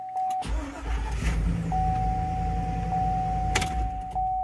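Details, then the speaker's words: 2004 Cadillac Escalade 6.0L after starter motor replacement: door chime, then a brief crank and the engine catches into a smooth, steady idle; starter working properly, fix confirmed. "all right well there we go that is a confirmed fix well there you go that's how you can replace the starter motor on an o4 cadillac escalade"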